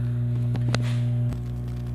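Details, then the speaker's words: Audio system with an add-on Bluetooth adapter at volume 26 and nothing playing: a steady low mains-type ground-loop hum sits under everything. This is persistent noise the owner is trying to remove. "O som tá com ruído eu ainda não executei deixa eu ver que volume que tá volume 26 então vocês podem vocês podem perceber que tá dando ruído eu quero tirar esse ruído"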